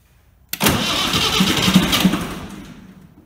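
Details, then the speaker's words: BMC Mini diesel after new glow plugs, glow plugs heated a few seconds, throttle slightly up: short crank, catches almost at once, even diesel clatter, no misfiring; clean healthy cold start. "let's start it up put the throttle up a little make sure that it's in the start position in the gear and I'll turn the heater on the glow plugs on a few seconds"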